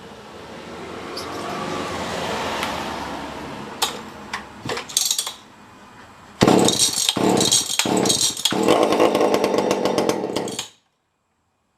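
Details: Tanaka ECS-650 two-stroke chainsaw after fixing a vacuum leak that made it stall; a loose fastener had vibrated out and was retightened. It fires up, revs in bursts, then settles into a steady, even buzz while warming up, with a slight tune-up done.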